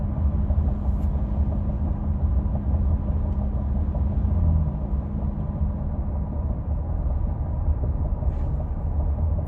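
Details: 2016 Ford F-150 5.0 6-speed 4WD, cabin: steady low humming/whirring over road rumble, starting at 60 mph on the accelerator and stopping at 55 mph when coasting off throttle; occurs at random times, cause unknown.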